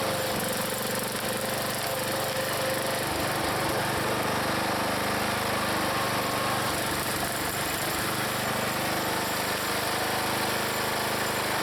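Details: Log splitter's small engine after adding Seafoam, in cold weather splitting wood: steady, even drone holding speed, no knocks or misses; normal running under load.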